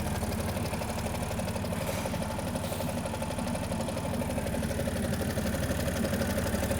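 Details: Audi S4 B8.5 3.0 TFSI V6, over 400 bhp, aftermarket exhaust, metal previously found in engine, no fault codes: light tapping about three per second over rough idle, suspected chains or bottom end; not confirmed.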